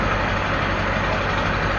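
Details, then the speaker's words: 2001 LB7 Duramax diesel after new injector swap and filter head housing replacement, no white smoke; steady, even idle with smooth low rumble and no misses or knocks, sounds normal. "She sounds good, guys. Well, she sounds normal."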